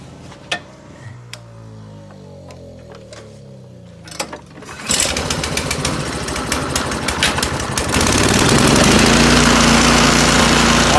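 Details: Troy-Bilt 2410 snowblower, single-cylinder, unused for a season, 7 degrees out: after starting fluid sprayed into spark plug hole it catches after a few pulls, white smoke about twenty seconds, then fast even beat; runs normally.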